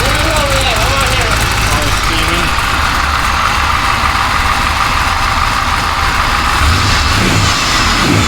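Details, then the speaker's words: Engine of a rock crawler just started after repair work: loud, constant roar at a steady speed with no misses, knocks or surging; sounds good but loud, and a pumping noise is also noticed. "a good sounding motor. It's loud still. Yeah, it's loud. Still loud."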